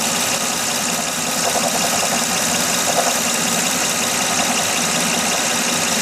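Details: 2006 Honda Odyssey V6 idling with faint uneven knock under hissy running noise; persists after replacing water pump, timing belt, tensioner, pulleys and power steering pump; source unidentified.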